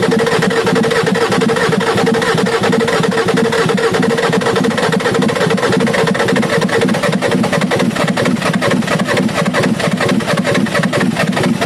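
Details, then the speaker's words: Ford F350 6.9L IDI diesel after injection pump replacement and bleeding: idle clatter with an uneven, lumpy beat about once a second; rough idle, owner suspects a dead cylinder, not confirmed. "i hope this video helped you guys out it sounds like i got a dead cylinder"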